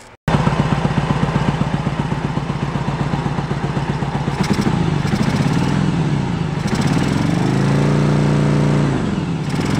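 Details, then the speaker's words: 1986 Yamaha Virago 1100 V-twin, sat 6–7 years: uneven lumpy chuffing idle, stumbles when revved, front cylinder dead despite fuel present; low compression on front cylinder, owner hopes it is a tight valve. "So we got a compression issue on that front cylinder, and hopefully it is a tight valve that doesn't want to play well."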